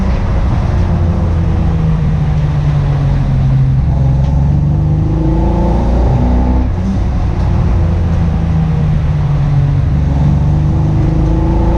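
Engine revs up and down with a choppy, uneven note and irregular stumbles in the exhaust beat, pointing to a misfire under load.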